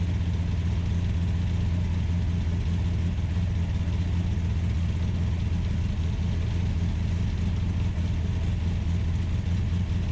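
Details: Ultima GTR supercar with American V8, started on a jumper pack and warming up, temperature gauge reading only about 60 degrees though fans pulled hot air: deep, even V8 burble held fast with no dip, well above normal idle; high idle.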